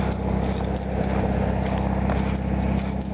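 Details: 1973 VW Super Beetle, rebuilt original 1600cc air-cooled flat-four with about 150 miles, after carburetor cleaning; steady even low putter, regular firing pulses, no misses or stumbles: normal running.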